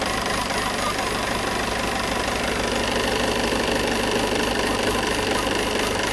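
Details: Peugeot 508 2.0 BlueHDi 180 hp diesel at idle with a regular tapping knock about twice a second, steady throughout; odd noise, source unidentified.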